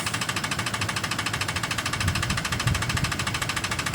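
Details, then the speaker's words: Ford F-150 recently bought: fast fairly regular tapping about 160 per minute over busy, clattery engine; engine knock of unknown origin that owner asks help identifying. "si alguien sabe que existe ruido por favor me lo comunica apenas la compré hace no mucho y empezando en el ruido"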